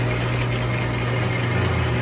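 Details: Used Nardini DT 650 lathe (2200x650), cleaned and lubricated, running: steady, even low hum with constant pitch, no knocks, grinding or rattles; spindle drive running smoothly and healthy.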